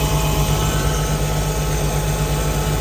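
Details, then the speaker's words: Jeep six-cylinder, head gasket and pushrods redone in 2019, idling with a steady low drone and uneven lumpy pulse, no blow-by; owner suspects PCV issues or vacuum leaks, possibly a loose rocker arm; cause unclear. "you can tell the auto changed a little bit though maybe some PC V issues or some vacuum leaks still going on"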